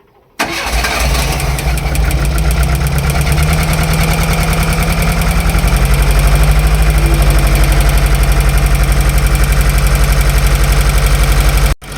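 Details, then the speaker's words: Wrecked Golf Mk1 project car's first start; engine cranks briefly, catches and settles into a steady, slightly high idle with an even beat; sounds fine though it smokes a bit and a misfire is later noted. "Okay, it's starting. Idling a bit high, but everything seems to be fine."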